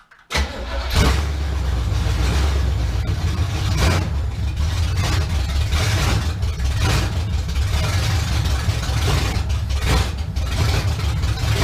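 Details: 1971 Chevrolet Camaro V8 first start after sitting nine years, known-good carburetor, fuel to pump, car still off the ground: fires and settles into deep, steady burble with a few throttle blips, runs cleanly; normal idle.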